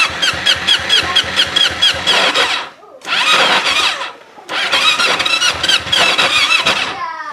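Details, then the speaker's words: Kawasaki Ninja motorcycle, engine still hot after stalling: starter cranks in rapid pulses, about four a second, but it never fires; owner reports it stalls as if loaded when stopped in first gear, then is hard to restart. "Nah, ini kalau dihidupkan, kalau sudah mati begini biasanya susah."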